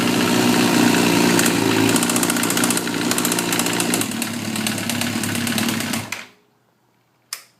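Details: Suzuki GSXR 1000, 33,000 miles, no FI code, 175-180 psi compression all cylinders, leakdown negative: fast even light ticking about four per second at idle until shutdown, from the head, comes and goes; owner suspects valve train.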